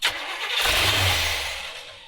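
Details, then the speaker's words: 1970s Coachman Leprechaun motorhome V8 that ran out of gas, running on gas poured into the carb bowls; it fires, runs about a second, then fades and dies. Fuel starvation: fuel not yet drawn up to the fuel pump. "All right, so we just need to pick up fuel from the fuel pump at this point. Might have to go down there and suck or siphon the fuel."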